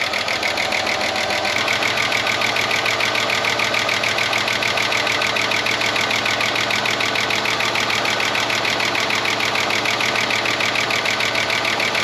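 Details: 30-year-old Ford Falcon one-tonner revived from a paddock, cold idle just after starting: fast, fairly even chattery tick over a galloping idle, apparently a cylinder down; owner suspects a stuck lifter, not confirmed.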